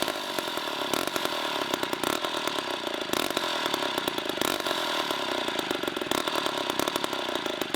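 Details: 1960s Homelite C-51/XL-12 two-stroke chainsaw buzzing unevenly, surging and stumbling with irregular pops and running rough and rich; the carb floods for unknown reasons, so the low-speed screw was turned in.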